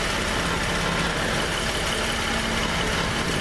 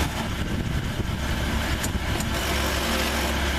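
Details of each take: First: Jeep idling, heard from underneath; a loud low idle with a jangly, shuddering rattle, present since the rear main seal repair, caused by exhaust hitting a skid plate likely bent by the jack; fixed with fabricated spacers. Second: Jeep chased for a rattle since a rear main seal repair, later traced to a bent skid plate: steady, even idle with a deep exhaust drone and no rattle or buzzing underneath; normal idle.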